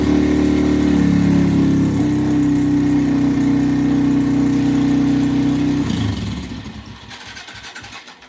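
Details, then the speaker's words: 2005-2009 Yamaha TTR-230 single-cylinder, lean carburetor suspected: runs strong and steady on choke, then fades and dies as if starved of gas; spark plug shows a nice burn, vacuum line for petcock being questioned. "it's like it's just not getting enough gas H interesting hm runs great with the choke"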